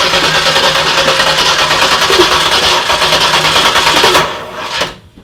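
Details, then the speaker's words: Turbocharged car with a tubed front end at its first start attempt: the starter got no power until jumped, then cranks in a quick, even rhythm of about three pulses a second but never catches. Fuel pressure reads 50; no spark is suspected, likely a wiring problem. "okay well it's turning over so it's definitely a wiring problem"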